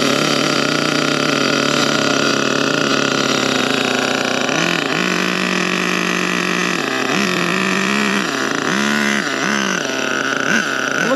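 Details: Old-school HPI Savage 1/8 nitro monster truck, fired up again after a servo fix: high, buzzy small engine revving up and down with a clean, steady note and no misfire; running properly.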